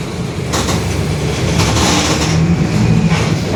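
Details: 2021 Marcopolo Torino S bus on Mercedes-Benz OF-1721 BlueTec 5 chassis, extended, urban service, onboard while driving: low heavy droning growl under engine noise; growling rear differential.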